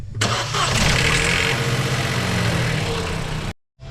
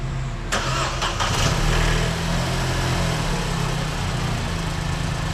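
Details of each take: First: Vauxhall Corsa 1.0 XEP petrol engine on start-up: harsh metallic rattle through the first seconds from a stretched timing chain, before timing chain replacement. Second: Vauxhall Corsa 1.0 XEP after timing chain and water pump replacement, fresh antifreeze, first start: catches quickly and settles into a smooth, even idle with no start-up rattle, far better than before the repair.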